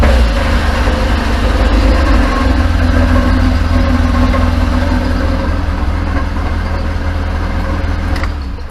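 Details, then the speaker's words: Classic Mini, start after winter work including a catalytic converter broken-stud repair: deep steady idle with an even beat that swells smoothly on a light rev blip; normal, healthy running. "it sounds lovely, doesn't it? That's me upset the wife, kids, neighbours, and the house now stinks of fuel for the evening, so I'll be in trouble."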